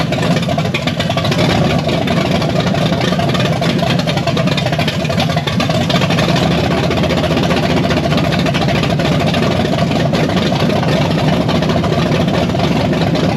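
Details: Blueprint 540 big-block Chevy in a C10 with 870 cfm Holley Street Avenger, Aeromotive regulator, open headers, after setting initial timing to about 14 degrees: loud, steady rumble, even beat, no misses or stumbles; normal idle.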